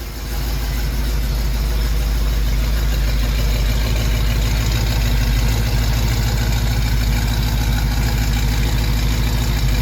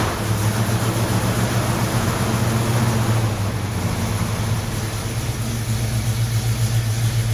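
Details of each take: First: 1974 AMC Javelin after an oil spill from a suspected driver's-side valve cover leak was cleaned up, now burning off the spilled oil: steady, even low rumble at a decent idle, no misses or surging; normal idle. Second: 1974 AMC Javelin now hard to start, carburettor passing excess fuel around the venturis: low, uneven, lumpy idle with irregular exhaust shake; running rich, unable to burn the excess fuel unless at higher RPM.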